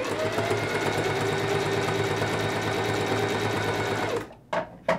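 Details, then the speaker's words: Sewing machine after re-threading with the thread in the take-up lever: smooth, even stitching rhythm about three strokes a second, no knocking or jamming; normal running after the fix. "super simple fix it's just an easy re-thread making sure our take-up lever has the thread in it and it should now sound like a normal sewing machine"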